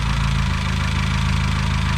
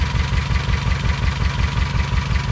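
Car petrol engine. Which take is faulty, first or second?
second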